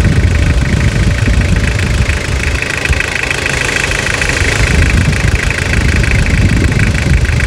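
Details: Toyota Hilux (1992–2001 generation) diesel at end of full restoration and engine rebuild: even diesel clatter at steady idle with smooth, unchanging beat; freshly rebuilt engine sounds healthy.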